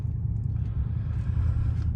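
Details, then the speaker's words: 2015 Chevrolet Silverado V8 after a junkyard engine swap, following a cylinder 8 misfire caused by liquid in the coil connector; codes cleared and test drive done, idling with a steady, deep rumble and no misfire. Normal running. "so that definitely could have been avoided if I would have seen that in the junkyard engine I would have seen that liquid in that connector but at least it's running good and it's done"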